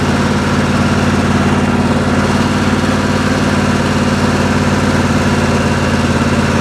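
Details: Craftsman LT1000 lawn tractor with newly fitted 27 HP V-twin engine and electric fuel pump: even, steady idle with a firm low throb, no misses, knocks or hunting; normal idle.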